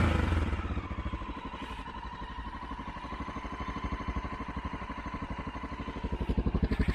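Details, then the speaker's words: Honda XR650L jetted 52 pilot/155 main for 2,000 ft with Dave's mod and stock pipe, idling at 6,400 ft after a hard rich start: steady, even big-single thump about four beats a second, no misses; idles fine despite the rich mixture. "But once it started, it idled fine. I mean, you would really need sensitive ears to hear the difference in idle, but for all practical purposes, it ran absolutely fine."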